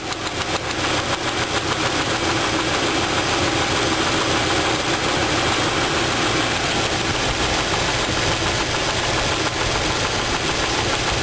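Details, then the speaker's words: Dull, regular knock three or four per second over the idle while valves are adjusted to rule out a lifter; rod knock from a spun rod bearing on cylinder two. "what I'm gonna do is tighten and loosen these valves I'll move tight-knit till it doesn't run good and loose until those not good and see if I can give her the knocking noise maybe it's about lifter itself"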